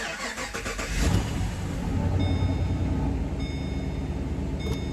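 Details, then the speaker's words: 2013 Chevy Caprice PPV with a 6.0L V8, first start attempt after purchase, fuel pump heard: a short crank, then it catches cleanly and settles into a steady, even idle without misses. It starts and runs normally. "car runs no way"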